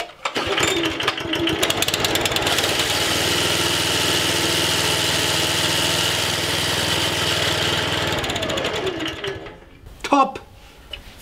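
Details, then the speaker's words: Swardman Edwin 2.1 six-knife cutting cylinder after backlapping a damaged reel: steady, even high whir with no ticking, then smooth wind-down; ticking gone, cylinder runs clean. "Now I let it run again, see if the ticker is still there. But that sounds really good."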